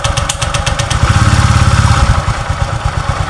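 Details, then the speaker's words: Honda Vario 125 rough at idle, CVT cover and pulley removed so only engine runs: even low idle putter without ticking; tok-tok noise gone, suspected loose CVT pulley/flywheel, seal leaking oil. "ini tidak kerja gearbox tidak bekerja dia hanya mesin yang kerja Pak tuh suaranya tak tak tak taknya hilang"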